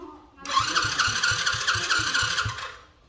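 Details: Still-warm engine cranks with about four even compression pulses a second for two seconds but never catches. Mechanic says fuel is not flowing through. Crank no-start.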